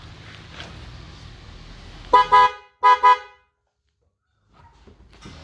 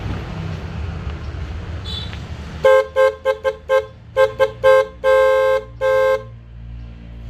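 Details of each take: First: Toyota Yaris with a dead original horn replaced by new 12 V Denso horns wired without a relay; two strong, clear honks, each with a brief stutter, both tones loud and steady; normal horn operation. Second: Toyota Yaris snail horn pair before replacement with new Denso waterproof set: short honks on one thin single pitch, no second tone; one of the paired horns is dead.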